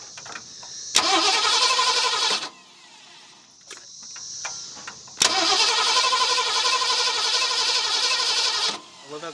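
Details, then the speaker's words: 1970 Ford Mustang V8, abandoned and unrun for years, fuel poured in, distributor being swept for timing: two long bursts of steady cranking at about four turns a second, never catching; spark present, timing and old plugs/wires suspected. "we know we're getting spark and you know the plug wires or the plugs themselves are probably not that great obviously they're not but man I figured it would do something"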